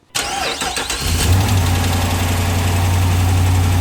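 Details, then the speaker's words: 2014 Dodge Charger Pursuit AWD Hemi V8 on a lift, cold start into fast idle: a light, steady tick over the rumble seems to come from low down; air felt escaping there, so a suspected exhaust leak rather than a bad cam. "See, so the sound that I was hearing definitely sounded like it was coming from lower down here. I feel a little bit of wind right here. I think we might have a leak right there."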